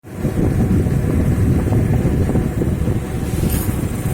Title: Pulsar 150 timing chain noise